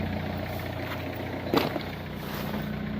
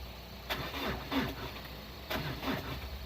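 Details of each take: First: 2002 Renault Clio diesel, restarted after about 3 years parked, idling: steady, even diesel clatter with low regular beat, no knocks or misses. Normal diesel idle. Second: 2002 Renault Clio diesel parked about 3 years, jump lead moved to a fuse terminal for better connection: short sluggish cranking bursts with uneven catches, finally firing rough. Hard start from weak battery connection.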